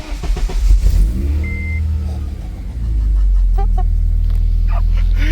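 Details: 2006 Honda Civic Si K20 with Mercracing TVS-1900 supercharger, new larger intake fitted, a sensor unplugged, running off the MAP sensor: short crank, catches about three seconds in and settles into a steady, even idle with no misses; running normally.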